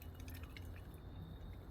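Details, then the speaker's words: Carburetor float, checked by shaking after about an hour submerged in an ultrasonic cleaner: faint wet sloshing and dripping inside, so a pontoon is leaking and failing. "Okay, but there's liquid inside here."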